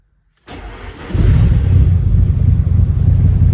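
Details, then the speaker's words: Nissan S13 Silvia after fuel pump work: brief crank, then it catches cleanly and settles into a deep, even rumble with no misses or knocks. A normal, healthy start and idle. "Um, now the Sylvia I've got it running. I'll put in a clip here."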